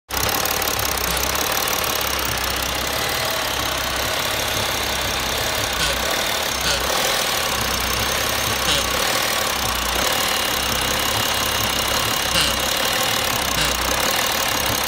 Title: BMW E60 530d EGR Valve Fail - Making Weird Noise - Rough Idle - Engine Shuts Down